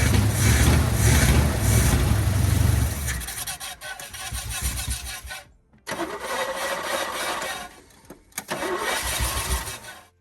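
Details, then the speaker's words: 1972 Chevy K10 4x4, 350 V8, sat 20+ years, fuel bowls refilled: catches with rough uneven rumble, dies after three seconds, refires and stumbles, no steady idle; good oil pressure, owner suspects fuel delivery. "It has really good oil pressure when it does fire, so I'm not worried about hurting the engine that way. It just doesn't seem like it wants to run very good."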